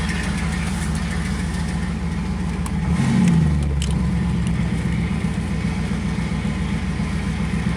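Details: 1986 Camaro IROC-Z after welding the exhaust pipe broken at the Y-pipe fork, leak free: smooth even V8 idle with one clean rev blip around three seconds, no ticking or puffing from the pipes; normal exhaust note.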